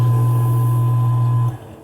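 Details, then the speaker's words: Scotsman SCCP50 ice maker after replacing burnt-contact pressure switch and hose; steady low drain pump hum for about a second and a half, then winds down and shuts off cleanly; normal drain cycle. "you hear the home it should shut off real nice and easy here in just a sec"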